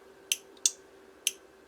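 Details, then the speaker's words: Normal 12 V relay for a KTM 1290 Adventure spotlight, energized from a 12 V battery with no protection diode: four sharp dry clicks about half a second apart as it pulls in and drops out; healthy relay. "so this is just a normal 12 volt relay and this is the one we're going to put into the KDM as you can hear when I energize it with the 12 volt battery"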